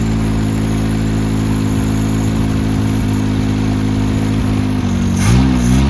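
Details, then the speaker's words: 1977 Honda CVCC, first start in 11 years after swapping the stock CVCC carburetor for a Weber 32/36: loud raw exhaust at steady even idle with throttle blips, straight pipe cut off short; runs cleanly and responsive, normal running. "bam sounds good it's a tad bit loud because uh we're just running a straight pipe the eight pipe ends right there and the exhaust is cut off"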